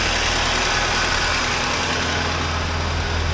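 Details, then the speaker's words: 1980 Triumph TR7 idling on the mechanical fuel pump with the electric pump unhooked: even, steady idle with a light regular tick and hiss; only the alternator makes noise, bearings checked by ear and sound normal. "the only thing making noise is the alternator I've put my ears to all the bearings in there where I could and it all seems to be okay all the noises are normal"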